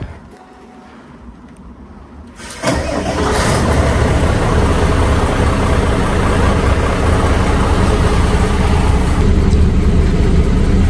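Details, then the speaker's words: HGV truck diesel brought in for a funny engine noise, revved: it idles with a quick, fairly even puffing tick over the rumble, traced to two exhaust manifold bolts missing. "Still hear something there, can't we, boys? So let's get cab up. Two manifold bolts missing."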